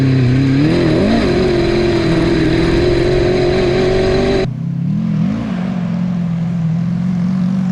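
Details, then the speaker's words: Honda CBR1000 engine in a home-built off-road buggy, in high range, after gearing and shifter fixes and oil changes. Revs climb and fall under throttle with a raspy, uneven exhaust edge; a miss is suspected, possibly junk needing cleaning out, cause unconfirmed. "Yeah, you can definitely hear it's a little, I don't know if it's raspy. a miss, or I don't know if it's... Sounds raspy. Yeah, definitely raspy."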